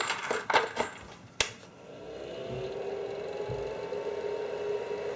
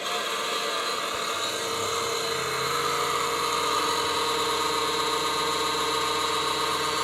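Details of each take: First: Creality CR-10S 3D printer control-unit fan after repair, now in push-pull configuration: a few handling clicks, then a steady, even fan whir with smooth level hum, no rattle or grind; normal fan noise, previous intermittent noise fixed. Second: Creality CR-10S 3D printer control box: a steady raspy buzz with a high whine over it, random noises starting when the control unit is flipped over; the cheap power supply fan is noisy.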